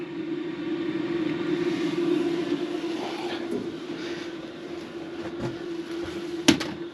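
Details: BougeRV diesel heater ported into a '78 GMC Motorhome, on high setting, 176 degrees at the outlet: steady mid-pitched hum from fan and burner, constant without surging or rattles; normal operation at high output.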